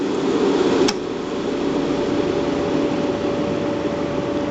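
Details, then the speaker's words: Riello RS38 forced-air gas burner, gas pressure set to minimum to test flame-failure detection: steady harsh crackling hiss of the igniter arc over the fan, no flame catches, burner detects no flame and locks out. "contrôler si fonctionne là il se ferme l'allumage là on entend l'arc"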